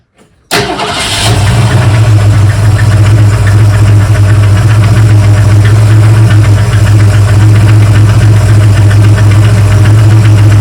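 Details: 1971 Mercury Comet GT V8: cranks, catches and idles with a faint regular tick at engine speed from the front of the engine, worse when cold; source not found.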